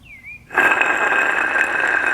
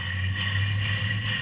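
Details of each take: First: Goldstar window air conditioner fan motor, old motor removed for replacement, spun by hand; rough gritty whir with thin steady whine and slack in the shaft from bad bearings; worn motor bearings. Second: Replacement fan motor for a Goldstar window air conditioner, old motor had bad bearings: new motor spins with smooth, even low hum and steady whir, no grinding or rattle, bearings good; normal running.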